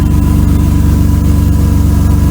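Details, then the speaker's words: 1992 Mercedes W124 300E, low on fuel, idling before a patch. Loud, raspy, lawnmower-like sound with sharp puffing ticks from a damaged exhaust pipe section; the muffler and resonator are okay. Exhaust leak; needs a new pipe. "Let's go crawl under there. Needs a new exhaust pipe."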